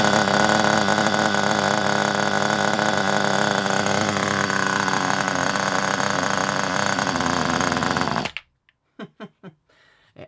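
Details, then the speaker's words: Kyosho Pure 10 Alpha nitro RC car after the high-speed needle was turned in about two turns because it was extremely rich: high, smooth buzzing drone holding steady for eight seconds, then shuts off cleanly; runs well, idle thought to need a clear-out. "actually runs really, really well. I think the problem with the ticking over is it needs a good rev. It needs a good clear out and I think it'll run really well after that."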